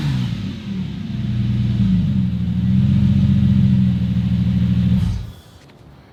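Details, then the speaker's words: Subaru EZ30R-swapped Porsche 911, after an earlier shutdown fault: the engine catches cleanly, idles with an even low rumble, then revs smoothly and fades as it shuts off. The owner concludes the fault is ECU-related, not a loose fuel pump negative ground. "so that smooth startup and rev tells me this has to be ECU related I mean that just started up beautifully it ran beautifully"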